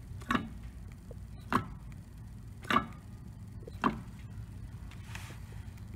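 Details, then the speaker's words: 1999 Mercedes S320 (W140) with a worn front driveshaft flex disc at the transmission. It gives sharp, separate clicks about once a second as the driveshaft is rocked by hand in neutral. The owner also hears clicking when shifting gears. "this one often needs to be changed because it's clicking"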